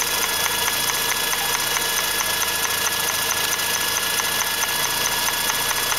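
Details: 2004 Mazda RX-8 at idle, noise from the intake area, drives fine: steady hissy idle with a light, quick tick about twice a second. The shutter valve (SSV) was faulty and was fixed by a rebuild.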